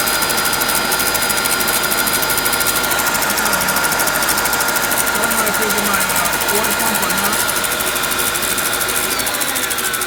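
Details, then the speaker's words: 2005 Mercedes S500 at idle after an alternator and starter replacement with the belt removed and refitted: gritty, rasping grind and a thin constant whine from the front of the engine, absent before. Owner suspects the water pump area. "now I'm getting this grinding noise coming from this area right here I think this is the water pump hose and I'm going in this grinding area in this area right here"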